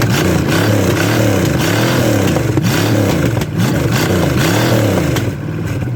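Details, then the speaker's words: $50 Chevy small-block 305, first run after replacing an untimeable points distributor with an HEI, run briefly with no coolant: lively V8 revving up and settling, firing even and steady, no knocks or misses over exhaust rumble; runs healthy. "i didn't want to run it too much longer because there's no water in it it sounds good baby"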